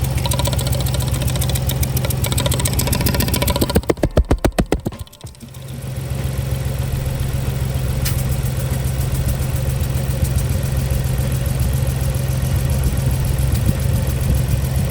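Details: Ford Explorer V6 rough, uneven idle with a lopsided pulse and stumble; misfire on cylinders 1 and 2, spark present on both, injectors swapped, compression test planned, six plugs and coils to be replaced.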